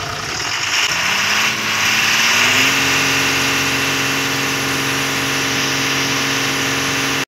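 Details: Ashok Leyland BS4 diesel truck with EDC light and accelerator rpm up-down problem, after cleaning the rail sensor: engine catches, revs briefly, then settles to a steady, even idle with no misses or hunting; EDC signal gone.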